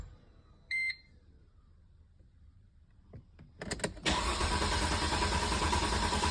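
A chime, then the starter cranks on and keeps churning in an even rhythm, but the engine never catches and runs.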